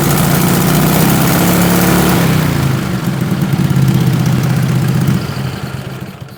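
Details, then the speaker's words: 20 HP Tecumseh twin with dual 34mm PVK carbs after needle clip moved to raise the needle: pulls raggedly with an uneven note that sags as throttle rolls on. Slow pull sounded awful; owner suspects too rich, but this is not confirmed. "I probably went the wrong direction. Especially the slow pull sounded awful and it might just be that it's too rich."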